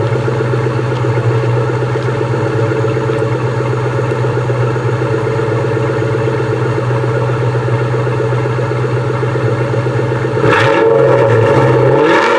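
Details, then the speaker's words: 1998 Mustang GT V8, about 132k miles, PI heads, shorty headers, X-pipe, Flowmaster mufflers, cold start after sitting: steady idle with quick, even tapping at about four a second; owner suspects a header leak. "but i think that's that's just the header leak kind of here tapping tapping"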